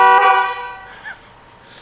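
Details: Rivian R1T factory horn before the upgrade: one short honk with a bright, steady pitch that fades quickly; works normally though the tone is thin.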